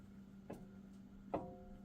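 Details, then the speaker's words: 2018 Jeep Wrangler Unlimited Sport, front axle passenger side, rocked by hand: two sharp metallic clanks with a brief ring; worn universal joint at the front differential shows visible movement and needs replacement. "and see how I can get See how you can hear that clanking? So, that universal joint is starting to go"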